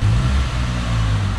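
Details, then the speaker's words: Peugeot 206 three-cylinder at idle after repair: low, steady hum with a smooth, even beat. No vibration, no rpm drops, no hesitation, catalytic converter explosions gone; normal idle. "e já mudou completamente o motor já não vibra mais olha como na lenta olha o motor como que tá ah tá e não fica mais caindo rotação"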